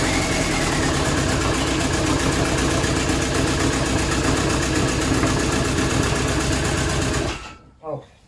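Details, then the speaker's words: VW AHU TDI diesel run on garage floor before fitting into T25/T3 camper, one injector line open: loud clatter with lumpy, uneven beat and heavy shake, one cylinder not firing so it runs on three. "I didn't expect it to vibrate so much but of course it's running on three cylinders"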